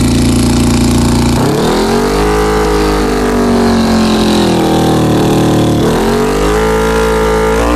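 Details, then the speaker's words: 2000 Honda CBR600, carbureted, with poor throttle response: while carb cleaner is sprayed on the intake boots, the four-cylinder is held above idle and revs hunt and surge unevenly. All four boots are leaking; vacuum leak. "definitely have a leak in a boo all four of them just carburetor cleaner"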